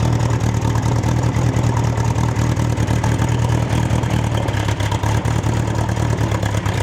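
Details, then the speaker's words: Bombardier Bombi with Holley Sniper 1100 fuel injection, after exhaust manifold crack fix, just started, idling unassisted, ECU thought to still be adjusting before closed loop (perhaps about 5 minutes): deep, steady idle rumble at even speed, no surging or misses. Normal idle. "So right now, it's until it's in the, if I understand correctly, until it's in the closed loop stage, it's still adjusting. So it might take about 5 minutes before it gets into that closed loop where it's running optimally."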